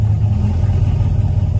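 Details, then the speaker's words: 2016 Chevrolet Camaro SS V8 with recurring P0700 code, restarted after warming up; deep idle hunting up and down by itself; owner unsure, suspects throttle body, fuel pump or wiring. "like listen to that Idol like the idle ain't even sounding right look it's going up and down y I don't know what that is"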